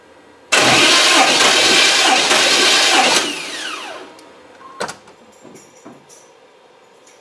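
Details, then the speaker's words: Chevy TBI 350 small block cranking during a compression test with gauge in one cylinder: about three seconds of steady, even starter cranking, no uneven beats; that cylinder read about 148–149 PSI, good compression. "you'll hear it like hit like three times on compression normally after three revolutions you'll uh have like your max reading for the gauge"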